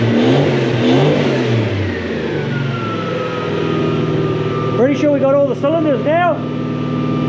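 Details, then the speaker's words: Mk1 Ford Cortina with a swapped Toyota 1UZ-FE 4-litre V8 and mufflers, running properly for the first time after at least seven years unused: a deep, even V8 burble climbing cleanly through short blips with no stumble, all eight cylinders pulling. Normal revving. "you've heard it running sounds pretty good too so the guy that put the mufflers or gave me the mufflers knew what to do too yeah"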